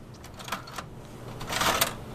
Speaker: Oh what is that sound what the [ __ ] is this [ __ ] why are you making this sound